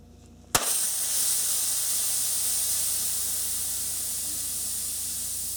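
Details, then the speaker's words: 1994–1997 Honda Accord ABS modulator, removed for bad pump motor bearings and bad accumulator: 13mm bolt loosened gradually, sudden pop then steady high hiss easing as nitrogen discharges. "Loosen the bolt up little by little until you hear the nitrogen gas start to come out."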